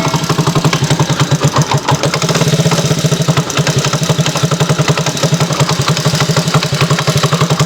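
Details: Yamaha T115 Crypton, about five months after purchase, at idle: dry even knock about four times a second; piston slapping, head not lubricating and welded parts found at repair.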